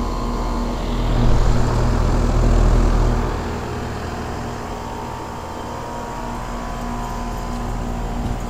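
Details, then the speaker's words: 2001 Trane XE1000 Weathertron 5-ton (60,000 BTU) heat pump outdoor unit in heat mode under high load: deep steady fan-and-compressor hum with fast buzzing rattle, three or four beats a second; fan grille and condenser side cover vibrating. "this thing's very shaky this is um shaking this um the fan grill is shaking the um loot the um condenser cover on this side is shaking"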